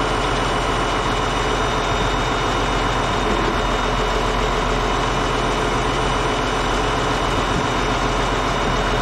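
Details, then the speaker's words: Caterpillar D8H bulldozer (46A serial, year unknown, No. 28 cable control unit) running after sitting 15+ years, once fuel reached it: deep, steady diesel idle with an even beat and no knocks or misses, running good. Normal idle. "you guys hear that thing that makes me a happy guy it's running good"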